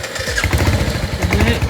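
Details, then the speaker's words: Royal Enfield Hunter 350 at about 5000 km, after its second service: single-cylinder catches and keeps running only while the throttle is blipped, lumpy uneven low thump, dies when released. Service center found faulty throttle body, replaced under warranty. "जब मैं इसको start करता हूँ ये आवाज़ आ रही है और ये बंद, तो ये आवाज़ आ रही है पर स्टार्ट नहीं हो रही है।"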